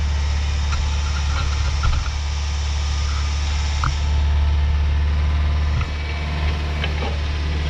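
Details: 1987 Mitsubishi Sigma, manual, very low km, 2.6L Astron, first start after about 20 years unused, fed from a temporary fuel jug: deep loping uneven idle with slight stumbles. Rough idle; it smoked heavily, oil light off, then likely ran out of fuel.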